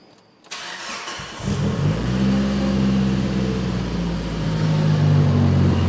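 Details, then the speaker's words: Freshly built engine, first start, Brian Crower stage 3 276 cams, Valvoline VR1 20W-50, after map adjustments: cranks, catches and settles to a steady lumpy-cam idle with no knocks; healthy, though an oil leak was found. "this thing sounds so freaking good with these new cams let's into that l Good Old Brian Crower stage 3es 276s motor sounds healthy as could be"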